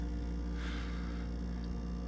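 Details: GE French door refrigerator model GFE28GMKES: constant low, deep loud buzz with a steady hum underneath, heard across the house through noise-cancelling monitors; loud buzz of unknown cause.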